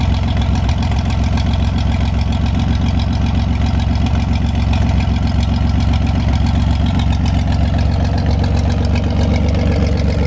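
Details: 1973 GMC 432ci V6 engine, out of a parted-out truck and sitting unstarted almost five years, run on a can of fuel after light prep: deep, steady idle with smooth, even firing, no misses, knocks or rattles; normal idle, healthy.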